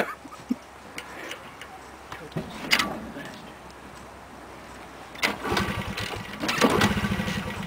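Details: 1998 Honda 50cc motorcycle on a cold start after sitting a while, ethanol fuel: repeated short cranking bursts with sputters but the engine never catches. Hard starting, cause unclear.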